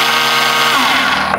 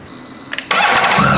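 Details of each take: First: BMW K1600 GTL motorcycle inline-six: pressing the starter gives a high free-spinning whirr with no cranking, as the overrunning (starter) clutch slips and nothing happens. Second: BMW K1600 GTL inline-six motorcycle during oil change, about 3.2 litres filled, run for 20–30 seconds: short starter whir, catches at once, settles into smooth, even idle with no knocks; healthy start.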